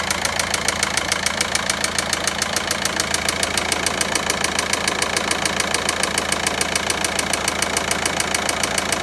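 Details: VW Passat 1.9 engine at steady idle with a sharp, evenly spaced ticking knock of about 207 per minute; internal engine knocking, source not yet pinned down.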